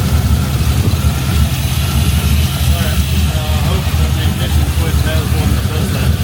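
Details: Freshly assembled LS V8 swapped into a 1988 Ford Bronco, first start on a new tune with true dual stainless exhaust: steady, even low rumbling idle with no lifter tick or misses; healthy first start.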